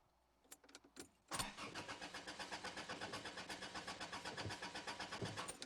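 Starter whirs the engine over with an even beat of about four pulses a second, but it never catches: cranks, no start.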